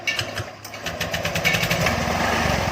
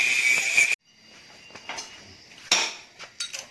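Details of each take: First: Honda Vario scooter, crank sensor found fine, starts only with high revs and will not hold idle, running rough and uneven; head gasket leak makes radiator coolant spurt when revved. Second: Honda Vario 125 with hard starting, after cleaning and reset: some handling clatter, then starts on first press and settles into an even steady idle, no misses or knocking; cause was poor maintenance, dirty air filter and cooling.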